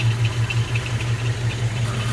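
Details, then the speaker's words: 1954 Oldsmobile 98 Starfire convertible, 324 Olds Rocket V8 with automatic and power steering, heard under the hood: a steady low idle with faint high chirps about every quarter second. The drive belt may be slightly squeaky but okay. "Maybe a squeaky belt a little bit you can hear, but"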